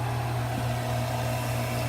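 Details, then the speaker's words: Well pump converted from 220 V to 110–115 V operation and running on the new wiring. A smooth, even low drone that holds steady without surging or rattling; the pump motor is running normally. "alright seems to be doing good to me so I'm just happy it works on 110 115 I thought"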